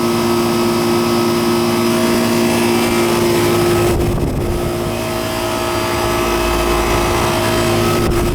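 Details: Old Goodman AC condenser running R-22 after thermostat turned down and puffy capacitor found; steady even hum, fan whirring over constant compressor drone, compressor somewhat noisy; normal condenser fan and compressor running.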